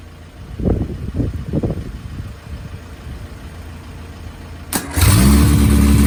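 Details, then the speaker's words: Innocenti 1275 A-series Mini engine bench-started for the first time in nearly 20 years, exhaust manifold, inlet manifold and carb fitted, fuel poured in: a few rough bumps, then it catches and runs a fast, even idle on choke; oil pressure confirmed. "And that, ladies and gentlemen, is how you bench start an A-series engine. Wow, the engine actually ran, and it ran for a bit of time as well."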